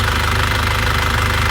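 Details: 2001 Isuzu Panther diesel after piston ring replacement and liner reconditioning, which cured earlier blow-by and noise: an even, steady idle with a regular low clatter, no misses or odd knocks and no compression leakage; healthy.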